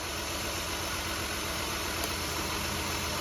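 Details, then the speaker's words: Mazda Tribute 3.0 (Ford) idling with a misfire code on cylinder 5: uneven, lumpy idle with about two stumbles a second under a steady hiss, engine shaking; coils being unplugged and swapped to trace the misfire. "at a misfire is so the engine shakes it's not running right you know things aren't doing what they're supposed to"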